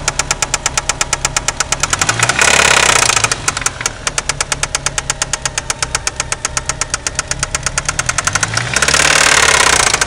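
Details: '93 Eagle Talon turbo, stock 7-bolt engine: heavy metallic knocking about three a second at idle, louder and faster with each throttle blip; confirmed spun connecting rod bearing with play between rod and crankshaft.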